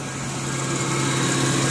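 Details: Kembara with HC petrol engine, air-con on: steady, slow, lazy low hum as if about to stall; RPM too low under air-con load, FICD or vacuum unit suspected.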